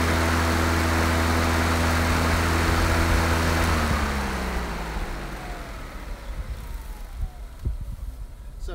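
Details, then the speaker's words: John Deere JS40 self-propelled mower converted to electric, 2.5 hp PM motor, LiFePO4 battery pack in use for four years: steady low hum from the spinning blade, then an even coast-down with no scraping or rattle. Normal blade noise. "terrible bad but no gas engine just all electric and the noise you hear is the blade with the engine running switch in the front"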